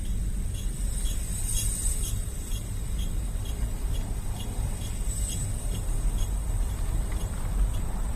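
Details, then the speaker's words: Car moving: faint high scratchy squeaks, about two a second, over heavy low rumble. Rear brake pad wear indicators are scratching the discs because the pads are totally worn out. "so the noise is coming from the back and what's happened is it's the wear indicators scratching on the discs it's the pads there are totally worn out"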